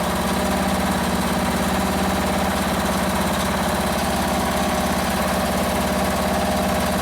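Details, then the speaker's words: Free Toro ride-on mower, small single-cylinder engine, started after fuel was raised above the carburettor to fill the float bowl; still needs a battery: even, steady ticking idle with a regular beat and no misses; normal idle. "let's try it again oh look at that she's a runner"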